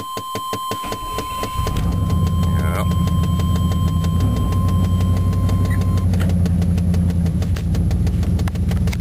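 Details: 1993 Chevrolet Silverado with a fuel-injected 305ci V8, refueled after running dry: the starter cranks briefly, then the engine catches and settles into a steady, smooth, even idle; healthy.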